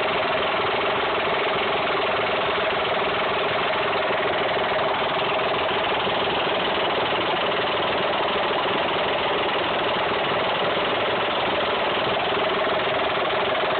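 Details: Mitsubishi 3000GT/Dodge Stealth V6 idling steadily with a fast, light ticking-knock; lifters, spun bearing or tensioner suspected. Not confirmed.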